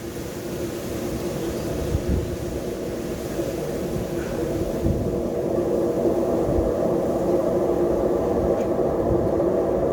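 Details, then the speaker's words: Dump-found Fisher & Paykel Quicksmart washing machine: loud, hollow droning rumble from the spinning drum because the drum bearing is worn out; it still works but would sound very loud on spin. "the bearing's gone you can hear the hollow sound so you can use it it will work but it'll sound really loud when it's on spin"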